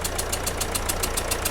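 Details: 2010 Mercedes Vito, OM646 diesel at idle, carbon removed, before repair: sharp, even puffing ticks about seven a second over the idle, combustion gas chuffing past two failed injector seals.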